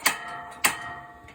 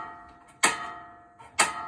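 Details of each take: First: RV propane stove checks after purging air from the lines: two sharp, crisp igniter snaps about half a second apart, then quiet as the burner catches; normal ignition. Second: RV stove after turning on the propane: sharp, ringing igniter clicks repeat unevenly with no flame catching while hissing gas purges air from the lines; after a few tries the burner finally ignites.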